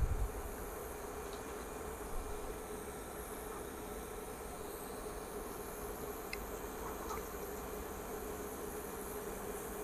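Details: Induction electric stove heating water to a boil in an iron or zinc pot: a steady, even mid-pitched buzz over faint hiss. Normal induction hob operation.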